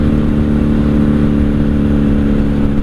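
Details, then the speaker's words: 1997 Honda Magna 750 VF750C V4, first ride after new steering bearing, in second gear: smooth, even drone at steady pitch, no knocks or misses; runs well, slight vibration possibly from old tire or overtightened axle bolt. "yeah she's a comfy little bike sounds good runs good"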